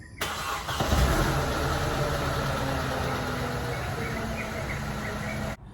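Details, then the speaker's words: Mercedes M271 Kompressor engine on cold start, despite a cam sprocket missing teeth: starter catches fast and the engine settles to a steady idle with no chain rattle; normal cold start. "but for a compressor engine unfortunately you won't be able to foresee any signs because during cold start this is what you normally"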